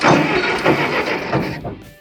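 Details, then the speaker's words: 1960s Case backhoe, unused 20+ years, first crank on a wrong-size battery: the starter turns the engine over at a steady even rhythm with no binding or clunks, so the engine is not seized; the oil is black. "Wow, okay. I should probably check the oil real quick. Now I did not expect that to just crank like that, so let's find our oil dipstick, which is right here."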